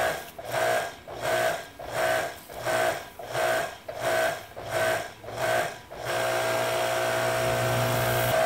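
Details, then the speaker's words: Kärcher electric pressure washer, 10–20 years old, previously making intermittent motor noise when fully pressurized, now worse after failed repair; no water at nozzle, not sealing; motor pulses about 87 times a minute then settles to steady hum, won't switch off with off button. "this thing is doing something all by itself i think if i hit the off if i hit the off button it doesn't shut off huh"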